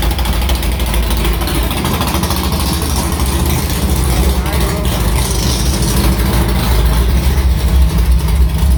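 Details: Carbureted V8 hot rod after the Prosystems carb's idle air bleeds were swapped from .070 to .055 following a track carb issue, ~80°F day, started quickly; steady, even low rumble at a fast idle about 1150 rpm, no stumble or miss, a normal idle.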